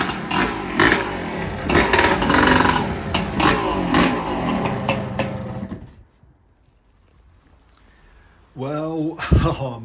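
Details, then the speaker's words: Honda Grom with a swapped-in EXC300 two-stroke engine, first start and ride after the install: loud crackling with no silencer, revving in rough bursts, dropping off and restarting; runs fine apart from a slight weep at the old carb gasket. "man what an experience to finally hear it fire up and go for a little ride down the garden"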